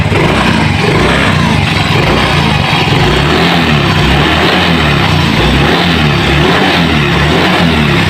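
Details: Fuel-injected motorcycle engine test-started after its injector and throttle body were cleaned and refitted: an even, steady low thump at idle with no misses, hesitation or hunting; it runs smooth and healthy and the cleaning worked.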